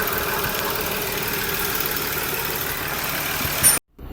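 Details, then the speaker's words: Skoda Superb VR6 six-cylinder idling after a cold start: an airy hiss rides over the engine, then cuts off sharply, as air is sucked in at the PCV valve; the vacuum leak causes misfire codes, and the PCV pipe is also damaged. "सो आप देख सकते हैं। आपको बताया मैंने इसका PCB वाल vacuum बना रहा था।"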